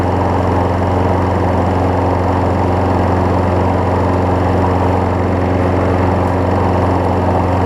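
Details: Craftsman 6 hp self-propelled mower after a new spark plug, belt refitted, under self-propel load: a steady, even single-cylinder drone with no misses, knocks or surging; it sounds healthy.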